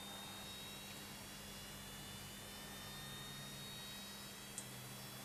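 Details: Early 1960s Leevers Rich Series C location reel-to-reel tape recorder on its transistorised DC-to-DC power pack after the rotary converter appeared not to work: faint steady hum with thin constant high-pitched whistles; the power pack whines, possibly straining.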